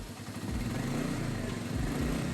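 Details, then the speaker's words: Royal Enfield Meteor, transported on a goods vehicle and sat two days without starting; after battery replacement it starts with no malfunction light (only ABS light), steady even single-cylinder idle with no misses: normal idle. "Battery വേറെ വെച്ചു replace ചെയ്തു നോക്കുക അപ്പൊ വണ്ടി start ആയിട്ടുണ്ട് ട്ടോ അപ്പൊ വണ്ടി സ്റ്റാർട്ട് ആയി മാൾ ഫെക്സ് ലൈറ്റ് ഒന്നുമില്ല"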